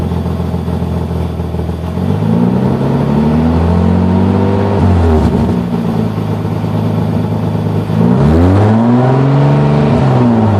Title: Nissan 300ZX ('90 2+2 NA) OEM Exhaust Leak